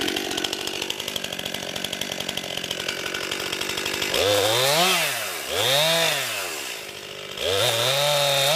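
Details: New 50cc two-stroke chainsaw, about ten pounds, on a cold day: crisp steady idle, then clean revving cuts where pitch dips under load and recovers quickly. Owner finds lots of power for 50cc; normal healthy cutting.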